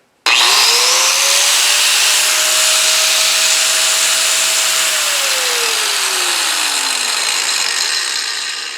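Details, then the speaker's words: Fein WSG 7-115 4-1/2" angle grinder, new, unloaded: spins up quickly to a steady high whine, holds evenly, coasts down smoothly, no bearing rumble or odd noises; normal free-running. "Well, it's an angle grinder. Doesn't scream, you know, listen for bearings or any type of weird noises like that. It kind of just sounds like a typical angle grinder."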